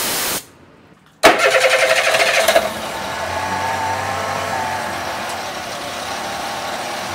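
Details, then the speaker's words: Honda BF25 four-stroke outboard after being submerged, restarted during water/emulsion flush: sharp start-up burst, then even steady idle with no misses or knocks; warming up to evaporate moisture. "мотор запустился даём прогреться проверяем работу"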